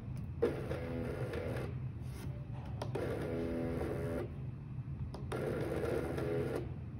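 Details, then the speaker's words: Arduino-based CNC stepper motor, driver swapped for a second and third unit with the same result; three bursts of steady mid-pitched buzzing with only a faint knock, stepper energised but not rotating, humming. "jadi hanya terdengar ketukan mungkin teman-teman tidak terlihat setelah kerasnya tapi di sini terdengar ada ke"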